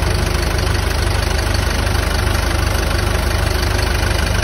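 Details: Isuzu QL 2022 diesel with an even, steady idle and A/C running, no squeal or grinding, after replacing a knocking, oil-starved A/C compressor and the filter dryer; compressor sounds healthy.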